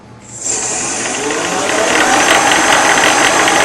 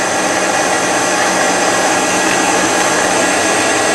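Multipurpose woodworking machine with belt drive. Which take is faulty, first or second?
first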